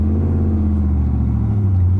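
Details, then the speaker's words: 1981 Corvette V8 driving after exhaust repair, welding and motor mount work: smooth, deep, steady rumble with no clanking, rattles or puffing leaks; exhaust fixed. "So far, so good. It sounds great. The exhaust has no more clanking noises. There's no sounds that sounds like the air is being funneled a weird way, like no poofing noises."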